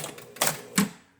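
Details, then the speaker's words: Williams Ringer game, coin switch bumped with the one-quarter-equals-two-credits circuit: two crisp mechanical clacks about 0.4 seconds apart, then quiet; credit unit advances twice cleanly. "if i just bump that switch we'll see that the credit unit gets advanced twice"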